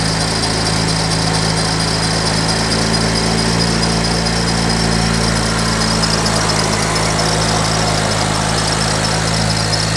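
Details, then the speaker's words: BMW E92 335i with freshly installed used turbos and a boost leak, at idle: a steady idle with a constant whirring whine holding one pitch. Owner says the intake inlet is touching the pulleys; fix is usually to zip-tie the inlet to the fan. Pulley noise. "also this inlet is touching the pulleys which is making some kind of noise uh usually you just have to zip tie this inlet to the fan it should be good to go"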